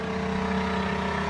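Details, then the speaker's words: Newly installed 12V 65 L/h reverse-osmosis watermaker on a sailboat, running in rinse mode on fresh water with the feed pump on: steady motor hum with a constant tone, no knocks or surging; a little noisy but normal. "Bon voilà, ça fait un peu de bruit mais c'est pas la fin du monde."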